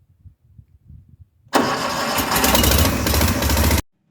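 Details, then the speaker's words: Branson 5520 CH tractor fitted with a 72-inch Berco quick-attach snowblower; the engine catches almost instantly and settles into an even run, a clean quick start. Owner thinks the earlier slow start was the oil filter filling and the low-oil-pressure shutoff. "Shortly after I said this about the engine starting up slowly, I realized that probably it was the oil filter needing to fill up the very first time you fire it up"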